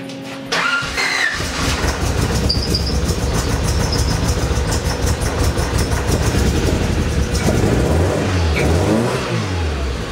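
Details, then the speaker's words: Honda Accord, spark plugs and wires refitted after a leakdown test: catches after a crank, then runs lumpy and uneven, stumbling as it revs, running on two cylinders; dead-cylinder misfire, cause not confirmed. "you guys ready to hear two cylinders of Honda"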